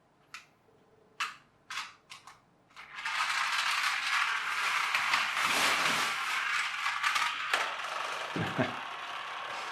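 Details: Magic Track toy car after a superglue repair: a few sharp clicks, then a steady high whirr with light gear chatter as the small motor runs evenly; it works normally.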